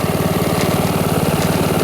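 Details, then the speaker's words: Brand-new Honda HRX2174HZA mower with auto choke and recharged 12.7 V battery, just started and throttled back from fast to idle: a soft, even putter with steady firing pulses and no misses or hunting; quiet, normal idle. "So now we got it running. Bring it back down to idle. Hear how quiet this thing is."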